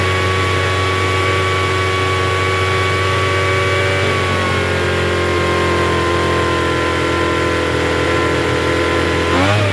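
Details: Troy-Bilt TB272V two-stroke leaf blower after turning the single-D carburetor mixture screw out about one and a half turns: fast steady idle buzz well above normal, never dropping back; runs but idles a little high.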